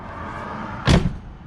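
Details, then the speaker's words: Jeep with larger tires and Rough Country spare tire relocation bracket, after a $5 PVC pipe and cap bump-stop mod: tailgate shuts with one firm dull thud, no shaking or rattle; much more solid. "A lot more solid. A lot more solid."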